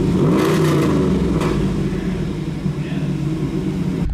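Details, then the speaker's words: 1993 Camaro Z28 barn find V8, first start in over 10 years: a quick blip, then a smooth, steady idle with no misses or knocks, good oil pressure and no dash warning lights besides the seat belt. "Oh, it just cracks right over. Look at this. There's no lights on the dash other than the seat belt, and it's idling smooth. And good oil pressure."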